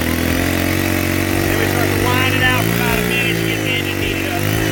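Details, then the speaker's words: Ryobi 4-cycle Expand-it trimmer warming up after starting, revving gently as throttle is added, running evenly and cleanly once the choke is eased. "I feel it start to go all I want to do is keep it warm"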